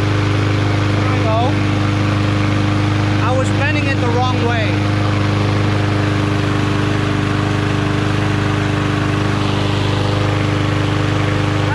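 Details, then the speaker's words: Yard Machines MTD 21-inch push mower with a Briggs 550EX auto-choke engine after a slight bend to raise rpm: a steady single-cylinder drone at a brisk, constant speed with no surging. "that little bending ought to increase the rpm slightly if it's too much just bring it right back"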